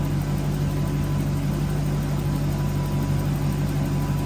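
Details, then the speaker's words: Toyota 1UZ-FE V8 (Soarer/Lexus SC400), after fixing no-idle issue, ECU relearning: revs pick up then settle into a steady, smooth idle with low rumble, no misses or knocks; sounds healthy. "You can hear the revs picking up. So it likes that. That's it. There we go. So it's now learning itself."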